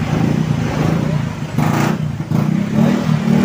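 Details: Carbureted Yamaha Xeon scooter, previously dead with no ignition from a charging-system fault draining a new battery, now started: steady low even putter at idle with street noise; runs normally.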